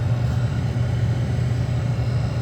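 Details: 2014 Chevy Cruze after blower motor fan replacement, key on: steady low hum with even, constant pitch and no rattle or scraping; new blower motor runs smoothly.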